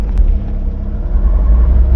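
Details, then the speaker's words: Tata 1109 CNG truck idling with a heavy, deep, lumpy beat and vibration; scan tool shows cylinder 4 misfire, suspected bad plug, coil or other cause. "इसमें complain यह है कि missing करने की problem हो रही है। इसमें गाड़ी पूरी मिसिंग कर रही है और वाइब्रेट भी कर रही है पूरी।"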